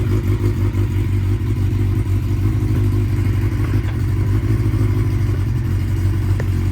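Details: 1992 Honda Nighthawk 750 carbureted four, unridden 2–3 weeks, warming up with choke partly on on a hot day: a fast, busy idle with a steady low drone and no misses. Idle is set too high, to be adjusted down at the idle knob.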